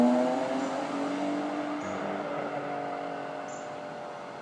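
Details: BMW M3-swapped car pulling hard in a fly-by with a smooth, even note and no stumbles or pops after misfire fixed; misfire was a dirty MAF, still running rich.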